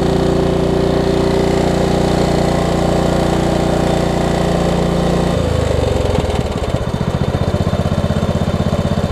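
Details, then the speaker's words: Craftsman LT1750 riding mower revived after mouse nest, run with air filter off and a fuel line leak: drones steadily then sags into lower uneven chug, never climbing; won't rev up, owner suspects missing air filter. "didn't want to throttle up also don't have the air filter on us that probably has something to do with"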